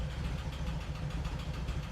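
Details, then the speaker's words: 1988 VW Vanagon at idle after tune-up (new plugs, cap, rotor, plug wires, injectors): low uneven idle with faint irregular stumble, sounds like slight misfire; also stumbles braking into turns, drives fine on gas; overheating issue unresolved. "a little, or it sounds like it's misfiring a little bit, like it's just struggling."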